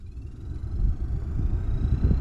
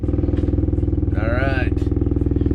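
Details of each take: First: 2009-14 Ford F-150 heater/AC blower after the fix, A/C on at full fan: the fan spins up with a soft rising whir over low engine rumble, no rattle or scraping; very quiet compared to before, normal blower operation. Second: 2009-14 Ford F-150 heater/AC blower behind the carpet, before repair: steady fast ticking about four per second on the blower's hum, a foreign object slapping the fan wheel inside the housing; blower noise from debris in the fan.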